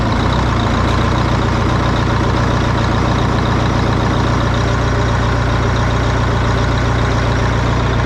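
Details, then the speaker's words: Abandoned GATR race truck, restarted just to hear it run, with the clutch unstrapped: the big diesel runs loud and steady with an even low beat of about 3.5 pulses per second, no knock, healthy running. "I thought maybe I'd fire it up just because I wanted to hear it run one more time, because I like hearing it run and I'm just really pumped that it runs."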